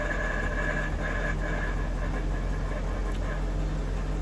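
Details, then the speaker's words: Jaguar XK8 automatic gearbox after Transgo pressure regulator valve and proper ATF and filter change: quiet idle with a light metallic rattle in short irregular bursts; transmission rattle still present, little or no improvement. "I'm pleased that the car started and yeah you see it's still there you can hear"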